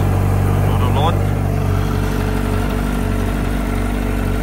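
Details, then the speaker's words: 2004 Yamaha R1 at 31,000 km, sold as having a bearing knock, showing an error code and using oil. Loud, even four-cylinder idle with a steady hum and no deep knock; no bearing knock is heard at idle. "Can you hear a bearing knock? Definitely don't hear a bearing knock."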